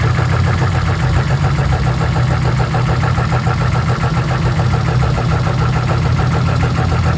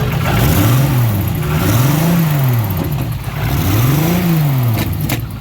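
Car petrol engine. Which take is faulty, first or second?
second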